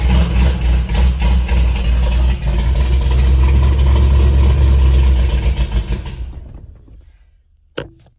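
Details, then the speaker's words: 1968 Ford F250, rebuilt hopped-up 390 V8 with long-tube headers and true dual exhaust, 57,000 miles, first start after sitting over a year and a half: loud, lumpy rumble running strong and steady, then shut off; normal running. "she is rowdy that battery's not liking it"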